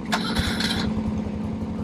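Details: 1971 BMW R75/5 twin: a short crank and catch, then it settles straight into a steady low throb without misses; normal engine start.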